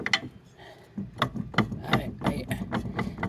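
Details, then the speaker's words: 2005 Toyota Camry rear drum-brake wheel hub turned by hand: uneven rough clicking and gritty clunks, about three a second; worn wheel bearing nearly coming apart, ABS light on. "I don't think this wheel bearing is very good and is about ready to come apart"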